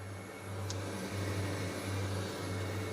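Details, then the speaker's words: VW MK4 R32 twin turbo, new fuel setup at key-on: the fuel pump primes with a smooth even hum and fuel is heard flowing. There is no rattle as before, so the pump sounds normal, though a fuel leak was found right after. "yeah you can definitely hear fuel going through that now"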